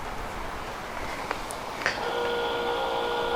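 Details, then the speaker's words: Volvo 480 rear wiper motor fed constant 12 volts via temporary wire to red cable: clicks then steady even whir running its full sweep; motor normal, fault lies in boot wiring loom. "Before I do anything more, I've put a temporary wire to join the red cable up to the constant 12 volts, and I don't know if you can hear, the motor is running its full sequence."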